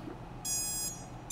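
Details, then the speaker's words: ESC startup tones after reflashing firmware and disconnecting the configurator on a repaired CycloneFPV quad (came in with no ESC tones): two crisp high-pitched beep bursts in a quiet room, controller now initializes properly. "i'm going to click disconnect and we should hear it now okay excellent"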